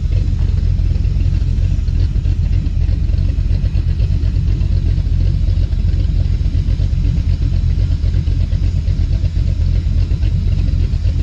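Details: Dodge Dakota R/T 5.9L Magnum V8 with heads and cam, idling outdoors, untuned. A control valve hisses; owner suspects injectors clogged from sitting. Deep steady low rumble with even lope, nothing knocking or ticking; normal V8 idle.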